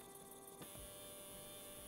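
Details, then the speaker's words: Stepper motor on an A4988 driver switched from full step to quarter microstepping: quiet, steady electrical hum with a few fixed tones, smoother and less vibration than full step. "but now I activate the quarter step and this is the sound difference between full step and quarter"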